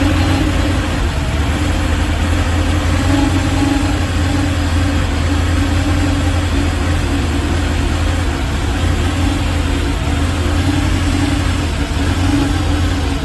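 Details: Chevrolet Malibu at idle: steady low drone that sounds lumpy and slightly uneven underneath, no clear knock; rough idle, cause unknown.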